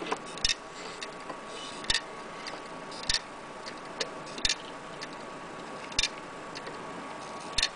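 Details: Laptop hard drive that is not read or detected at all: sharp isolated clicks about every 1.5 seconds over a faint hum; heads failing to read, the click of death.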